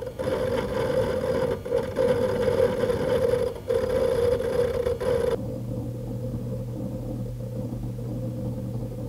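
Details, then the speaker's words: Synology DS918+ four-bay NAS with mechanical hard drives, recorded where it normally sits: irregular light seek clicks over a whine, then a quieter low, steady platter-spin hum once inside an acoustic-foam box. The clicks are reduced but the hum remains. "if you are listening with some headphones you can probably hear the spinning disks the low hum or vibration sounds are still present or even more apparent now that the higher frequency clicks are reduced"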